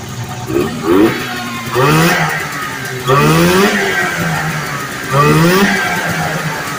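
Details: 1980 Arctic Cat Jag 3000 fan-cooled two-stroke snowmobile that sat for years on old gas, after fuel-system cleaning, on a track stand: four throttle blips about two seconds apart, each revving cleanly up and settling back; it pulls smoothly and runs right.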